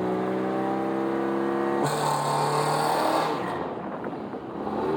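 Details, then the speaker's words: Subaru with taller tires too much for its clutch, clutch test drive: engine note holds then jumps sharply in pitch under load without matching pull; clutch slips badly, very little clutch left, also reluctant to idle. "Clutch slips pretty bad. We're going to go ahead and take it anyways."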